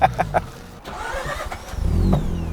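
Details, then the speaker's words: Mazda rotary engine freshly rebuilt with lapped irons, weighted rotors, reground housings and new OEM apex seals, side seals and plugs: a few sharp clicks, a short crank, then it catches into a steady buzzing idle; an excellent hot start. "oh that was good that was excellent hot start oh yes well done Josh"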